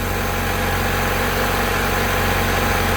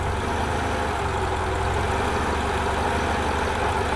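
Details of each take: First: 1990 Honda Accord 2.2 4-cylinder at idle, after repairing bad alternator harness connector that prevented charging: even steady idle, no stumble or surging, charging about 14 V; normal idle. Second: 1990 Honda Accord 2.2 4-cylinder at idle, before repair: idle note sags and recovers as wiggling the alternator harness makes charging cut in and out, audibly changing alternator load; bad connection in alternator harness or alternator.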